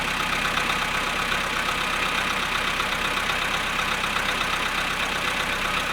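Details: VW Polo sedan cold start at 0.5 °C after sitting 13 hours: cold idle with light, fairly regular tapping, roughly two to three knocks a second, over the engine hum; engine knock, cause unknown.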